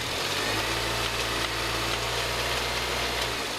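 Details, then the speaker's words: 2006 Mini One R50 Tritec engine idling after a timing chain replacement: bright, busy metallic rattle, like loose metal spinning near the flywheel, appearing when the clutch is pressed or released. Source unknown; clutch release bearing suspected. "It does sound like it's something very loose. You'd almost think it was a piece of metal being whizzed around by the flywheel. Is it a bearing?"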